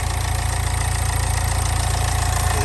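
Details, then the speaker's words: Low-mileage Nissan Juke, bought cheap, whose battery was nearly dead. Steady, even low thrum with a regular firing pulse and no knocks or misses. Finding: normal idle. "sounds all right it really does sound right"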